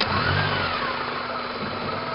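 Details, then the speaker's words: Engine stumbles and dies on throttle: revs pick up briefly then sag unevenly; knocking-like sound from engine, a connection near the distributor was torn off during an oil change, cause unknown. "don't know what the problem is every time I hit the"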